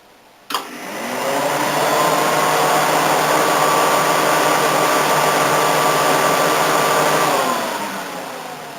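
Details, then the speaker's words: 1980 Mazda 323 RWD wagon after rewiring, with owner-built air conditioning and a fixed 5-blade mechanical fan: thump as the AC switches on and the compressor locks in, then a steady strong airflow rush with fan hum. AC fans and compressor running normally. "And if I turn on the air conditioning, you can hear the fans and the compressor lock in."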